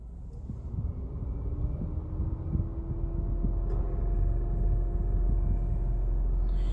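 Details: Renault Triber at idle, warmed to normal temperature, windows closed, AC switched on: steady low hum over smooth idle with a faint even tone as the compressor engages; normal radiator fan hum, nothing wrong.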